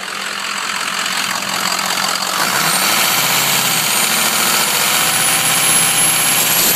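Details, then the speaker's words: Diesel truck, warm, VGT turbo commanded up by scan tool, under throttle; also needs four driver-bank injectors: engine builds revs and thin high squeal climbs in pitch over the diesel roar as load comes on, turbo issue. "I'll command the vgt which is take the turbo command the turbo up now listen to this squealing let me know if you heard this under throttle"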